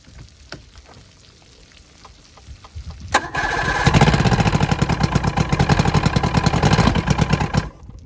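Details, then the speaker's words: Vintage Evinrude SPL 88 outboard, first cold start after winter (about 23 degrees overnight), primed, key start: quiet clicks, catches within seconds, settles into a fast, even two-stroke idle; normal cold start and idle. "it was 23 degre I believe last night so this thing fired up no problem"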